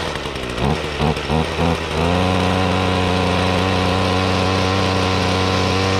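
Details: 2016 Ryobi RY251PH 25cc two-stroke full-crank powerhead with trimmer attachment, cold start on choke: a few rough pull-start bursts, then it catches and settles into a steady, even buzz; runs smoothly.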